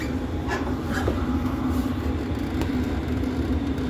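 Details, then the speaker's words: Travel trailer propane furnace after about 4–5 minutes lit via jumped thermostat terminals (thermostat suspected faulty): steady even blower roar with low drone, no rattles or pulsing; normal furnace operation. "That's still nice and toasty. Furnace is cruising in a messed up state."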